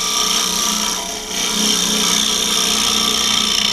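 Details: Smooth hollowing cut on a wood lathe with a Simple Swan Neck Hollower carbide tool in a hollow form using the Simple Hollowing System: steady hissy scraping, free of chatter after lowering part of the hollowing system to press the tool onto the rest.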